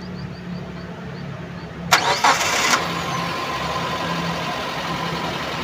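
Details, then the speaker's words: 2016 Suzuki Carry Futura pickup at 49,000 km, fresh golden oil: short crank, the engine catches cleanly and settles into a smooth, even idle with no stumble, miss or sputter; healthy engine. "suara mesin langsang nya ini masih benar-benar halus suaranya masih adem aman tidak pincang tidak merebet juga"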